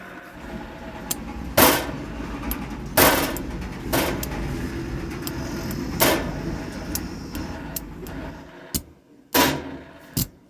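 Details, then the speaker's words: 500 W amplifier/machine, volume raised and lowered: irregular loud pops and crackles through a noisy hiss; worn faulty volume potentiometer. "यह देखिए दोस्तों ऐसा हम आवाज कम ज्यादा करते हैं यह हरकत करता है दोस्तों यह मतलब जो वालों में हमारा यह हम दोस्तों एक खराब हो चुका है"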